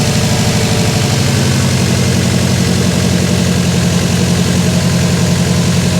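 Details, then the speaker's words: Freshly rebuilt Subaru WRX 2.5 turbo boxer just after first start: steady even low idle with typical uneven boxer burble, no knocks, ticks or real misses; feels smooth, healthy. "Feels smooth, doesn't feel like it's missing at all. It's always hard for me to tell on Subarus because they always sound like they're missing."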